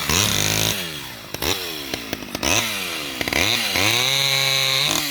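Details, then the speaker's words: Vintage Stihl 011 AV mini chainsaw with chain brake cutting wood: snappy revs rise and fall cleanly, holding strong pitch through cuts and recovering instantly; normal healthy running under load. "yeah that's a good sound and chainsaw i think this might be one of my favorite small ones"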